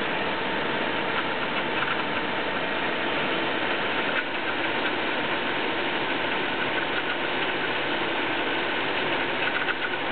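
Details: BMW E36 318is, M44B19 petrol engine at cold start: rough metallic clatter through a steady idle hum, rpm cycling between 1000 and 1500; owner doesn't know the cause.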